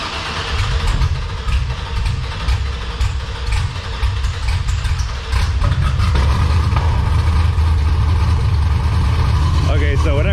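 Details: Chevrolet Monte Carlo with an LSA V8, cold start with the camera set outside the car: a deep rumble with an uneven, lumpy beat before it settles. It runs rough cold, cause unknown; the engine has long been acting up, and the other day it did not hold a charge.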